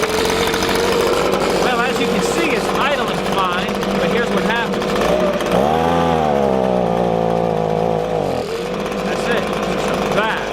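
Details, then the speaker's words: Warmed-up Echo ES-250 leaf blower (same engine as PB-250) idles fine, but on throttle the two-stroke buzz drops and labours, making about half power, then recovers; a bog from a lean high-speed carburetor mixture. "what happens is is the engine will idle fine but when you give it gas it just falls on its face and only puts out about half the power that is supposed to"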